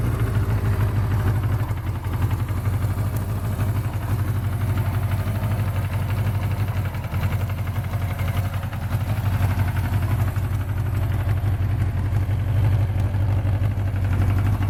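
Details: 1976 Suzuki GS750 four-cylinder four-stroke, pre-production dealer demonstrator, unit 434, built July 1976, after start-up: low steady burble at an even idle, no ticking, knocking or stumbling; healthy motor.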